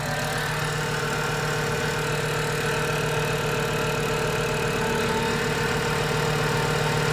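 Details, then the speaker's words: VW Mk6 Jetta 2.5L five-cylinder, fresh engine and 02Q six-speed swap, first start just after adding oil: steady idle with a faint thin high chirp; a belt or pulley is squeaking, owner suspects the lip pulley. "There's definitely a belt or pulley squeaking in there some more."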